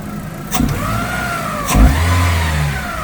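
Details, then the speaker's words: Opel Astra G 1.8 16v after a full timing kit job (belts, rollers, water pump, seals); a whining tone climbs and falls with each throttle blip. Abnormal noise when revving. "Voilà. On entend ce fameux bruit. Je sais pas si on va entendre. Bizarre, hein, je sais pas."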